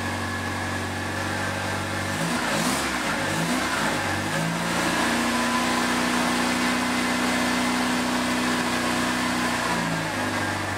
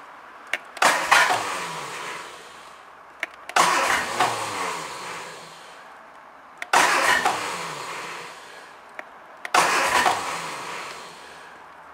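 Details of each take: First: Second-hand Triumph Dolomite 1300 engine in a Gentry MG TF Replica, just after first start following engine change: smooth idle then a clean rev climbing and settling evenly, no knocks or rattles; good oil pressure, healthy. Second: Triumph Dolomite 1300 engine just fitted to a Gentry MG TF Replica, first start attempt with HT lead reconnected and a little choke after oil pressure was built: four two-second bursts of starter churning, no catch; cranks but won't fire yet.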